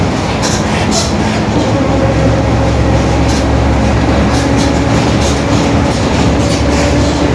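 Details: 2021 Marcopolo Torino S elongated urban bus on a Mercedes-Benz OF-1721 BlueTec 5 chassis: a low, steady growl droning under the bus as it rolls over rumbling road noise; a worn, growling rear differential.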